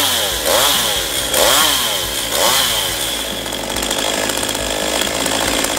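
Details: Stihl MS192TC chainsaw that starts hard and runs unstably, after a carburettor adjustment; it revs cleanly, holds a steady high scream and bogs evenly into the wood. Owner wonders whether the saw is near the end of its life.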